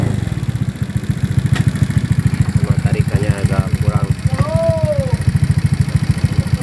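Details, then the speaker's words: Honda Beat FI injection scooter idling, before valve adjustment: quick, even ticking roughly three to four a second over the exhaust beat; noisy valve tappets from loose clearance, with the valves then set to standard clearance at top dead center. "Ini kendalanya isinya berisik ya."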